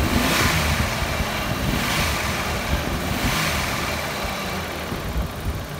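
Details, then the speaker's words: 1987 Ford Ranger, 2.9L six-cylinder, manual, 94,000 miles, after a new TFI module was fitted for the no-spark fault: the freshly started engine chugs with an irregular lumpy beat over a hissy background because vacuum lines are open. "now we can start it up here and let y'all listen to it but it's going to uh [Music] it's going to run a little rough because stuff like that the vacuum lines are open"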